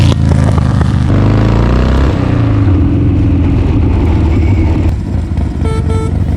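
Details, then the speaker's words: 1984 Harley-Davidson with hopped-up V-twin, revived after long storage, new fuel line and carburetor bowl drained; loud rumble with uneven skipping beats and a stumble on throttle opening. It is missing and hesitating, cause unknown. "It's a missing. That's That's why I want to jump on it. There's a little bit of a hesitation."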